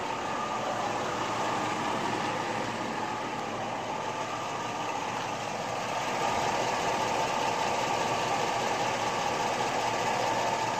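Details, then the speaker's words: LS V8 truck with a top-end rebuild and Comp Cams 54-525-11 cam, on Comp Cams Evolution hydraulic roller lifters at about 38 hours of run-in, fully warm after a highway test drive: light quick ticking over a steady idle, far quieter than the original 8957 lifters; hydraulic lifter ticking. "i've got the engine good and warmed up now so the noise you hear now this is pretty much what you get at this point"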